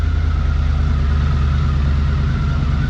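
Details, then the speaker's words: 1982 Honda CX500 Turbo twin revived after 25 years, new fuel pump and ultrasonically cleaned injectors; deep even thrum holding steady, no knocks or misses, smooth "like a kitten"; normal idle and revving. "Ah, like a kitten. Like a kitten."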